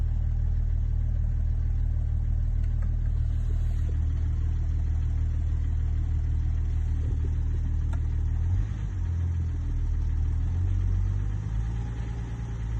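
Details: BMW M550d diesel at idle: deep steady idle with slightly uneven low drone and faint rough pulse; suspected turbo failure or engine failure, not confirmed.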